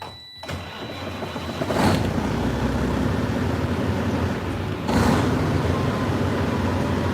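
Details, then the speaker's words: Old ex-FedEx truck started on a cold night: catches after cranking, then runs rough with an uneven surge and stumbles; cause unclear. "Yeah, I know it. That it it just it stumbled. I'll crank it again."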